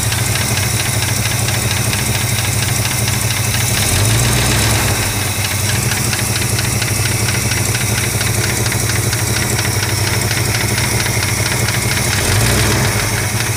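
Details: Warm 1965 Chrysler 413 V8 idle with a light, uneven tick riding over the low rumble, about two a second; owner suspects lifter tick, not confirmed.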